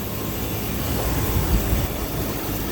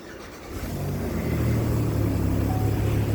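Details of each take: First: Chevy Impala after engine/transmission reinstall, restarted after fixing an exhaust leak (a nut needed a washer to tighten fully): steady, smooth low idle with no ticking or exhaust puffing, sounding much better; normal idle. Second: Chevy Impala just after engine/transmission reinstall, first start: engine catches and settles into a loud, raspy idle with a fast puffing tick; owner suspects the exhaust gasket is leaking.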